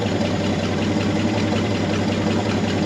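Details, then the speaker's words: 1963 Chevy C30 inline six, off the road since 1978, idling after its first restart with the patched radiator topped up with water: steady idle with a light tappet tick and no misses. Oil pressure is good with the light off. "I know the light turns right off. Sounds like a tippy-tappy little inline 6."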